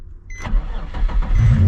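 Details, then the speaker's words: Nissan 350Z recovered after a crash, cold start recorded at the exhaust: brief crank, then it catches at once and settles into a firm, even rumble; clean, healthy cold start. "Started right up, you guys. Wait. I gotta get the sound, you know, the exhaust over here. Cold start."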